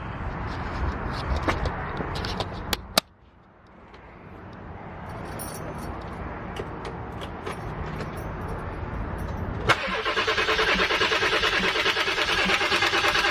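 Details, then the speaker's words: 7.3 diesel van, new starter just installed, cranking after running dry: steady rapid cranking that never fires; owner is pressurizing the lines with a blowgun to push air out through the fuel bowl at the fuel filter. No start from air in fuel lines. "I'm just trying to push trying to push all that [ __ ] air through the lines and it'll bubble up it'll bubble up through the fuel bowl or whatever you want to call it where the fuel filter is"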